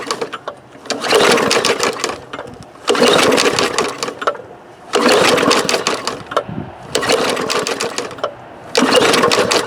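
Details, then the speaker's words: Bolens push mower with Briggs engine, pulled from the trash, fuel in tank, primer bulb, air filter and cover missing: five rattling pull-start bursts with no firing; cranks but won't start. "Well, we gave it 5 pulls and it did not run."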